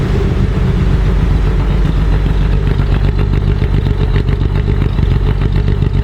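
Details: Nissan S14 SR20DET, freshly rebuilt with OEM parts, recorded fully cold. It starts fine and revs up fine, but the idle is shaky and it shakes at any steady rpm, with black smoke from running very rich. Misfire, cause unknown.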